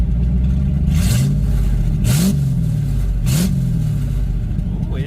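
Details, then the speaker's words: 1986 Ford Mustang GT Fox Body V8, revved once it has some heat in it: three quick, sharp blips rising cleanly and dropping straight back to a steady idle; snappy, normal throttle response. "snappy. Comes down to idle. Nice."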